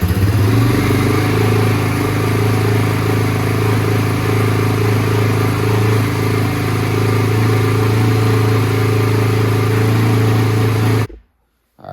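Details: 2001 Yamaha Warrior 350 single-cylinder at 8 degrees outside, choke needed: steady even fast idle without misses, then shut off; runs normally after the stuck carburettor float needle was ultrasonically cleaned, idle still needs adjustment.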